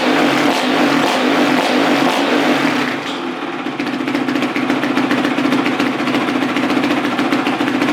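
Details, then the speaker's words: Carbureted four-stroke dirt bike, freshly rebuilt, warmed up with the choke just turned off: crisp throttle blips climb and drop cleanly, then settle back to a smooth, even idle. Normal revving. "so I just turned off the choke and just letting it idle let's throw a couple revs at it"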